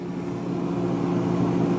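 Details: GE 18 cu ft refrigerator (GTH18) after evaporator fan motor replacement (old motor had loose bearing), door being opened: smooth steady low hum with slight rise in level, no ticking or scraping; running normally.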